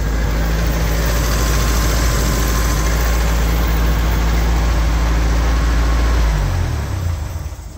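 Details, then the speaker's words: 1975 MGB four-cylinder starts on the key without touching the throttle once the fuel pump runs, catching quickly and settling into a steady, even idle with no misses before shutting off; healthy start and idle. "I gotta say that's got to be the easiest starting mg I've had to date because uh as long as the system doesn't bleed off overnight I've never had another mg that you didn't even need to touch the throttle to get it to start"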